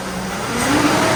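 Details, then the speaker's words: GMC Yukon after installing a new AC Delco 15-4694 fan clutch, revving in the garage: smooth rising pitch and steady fan sound, no lingering roar or rattle; normal. "so it still sounds loud in the garage but uh the engine feels a little bit more clear"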